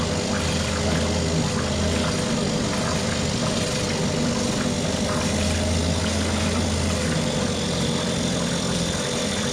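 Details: Mercury 2.5 hp two-stroke outboard after carburetor taken apart, soaked and cleaned; steady even buzz holding its revs, no misfires or surging: normal running.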